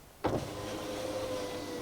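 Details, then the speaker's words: Honda Odyssey passenger power window, key on, after replacing the defective master switch: sharp click then a smooth, steady motor hum as the glass travels; working normally. "window rolls down nice all right so this is fixed guys we're good to go"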